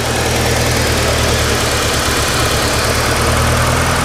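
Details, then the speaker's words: 1989 Winnebago LeSharo RV after a vacuum leak fix: a steady, low, lazy idle with no stumbles. The owner suspects he turned the idle bypass valve down too far, making idle speed low. "but I might need to play with the uh the idle cuz I did Jack with it I might have turned it down too much"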